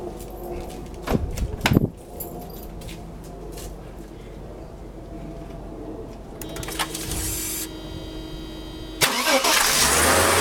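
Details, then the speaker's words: Mercedes M104 engine with damaged ETA throttle body wiring, cold start after sitting a day: short crank catches quickly, settles to a smooth, even idle, slightly louder with the air pump on; normal cold start idle. "Well, as you can see, the car started right up. Runs pretty smooth. Air pump is on right now, so it's a little louder."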